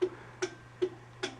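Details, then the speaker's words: 1982 Bally Mr & Mrs Pac-Man pinball (-35 MPU) after the general illumination connector is plugged back in: crisp single clicks about every 0.4 s from the solenoid expander board in test mode. Normal relay clicking. "now i'll put the connector back on and then it's back to working and now you can also hear the solenoid expander going to blinking here and"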